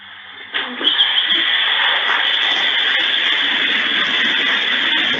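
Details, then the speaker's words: Electric scooter with cylindrical lithium-ion cells going into thermal runaway: a sudden loud rush of steady hissing with sharp pops as the cells' vent caps burst. Lithium-ion cell thermal runaway venting. "this is in China uh e-scooter goes into thermal runaway you'll hear the popping of the the blast caps on the cylindrical cells"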